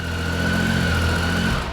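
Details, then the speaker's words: Warm 2013 Triumph Tiger 800XC (21,569 miles), restarted hot after a new OEM starter cured its hot no-crank fault: fires right back up and settles into a steady, even idle with a smooth low beat, no misses or knocks. Normal idle. "Fires right back up. Great throttle response. Everything."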